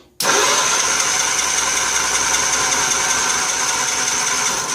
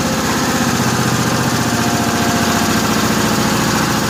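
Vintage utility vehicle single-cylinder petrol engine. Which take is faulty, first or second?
first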